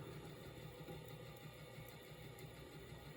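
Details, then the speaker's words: NuTone Verandah Deluxe ceiling fan after rewiring and oiling stiff bearings: low steady smooth hum, no grinding or knocking, starts right up without hesitating; oiling is only a temporary fix. "You can see how much quieter it runs now. The bearings are so much better now. You're not making that horrendous sound anymore. It's running very smooth."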